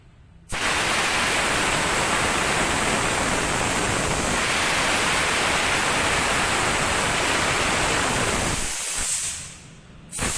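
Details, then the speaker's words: New super-mini tank air compressor rated 8 bar, tank starting at zero pressure, running without its muffler fitted: loud steady rushing hiss with a loose pulsing beat, stopping at the end; normal running. "Ini suaranya teman-teman tanpa peredam."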